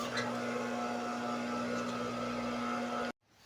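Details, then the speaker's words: High-speed single-needle sewing machine whose motor only hummed and would not spin; after the capacitor was replaced, a steady even motor hum runs freely for about three seconds, then cuts off cleanly. Repaired, healthy. "Ayun umandar na. Maganda na yung andar niya. So guys, okay na."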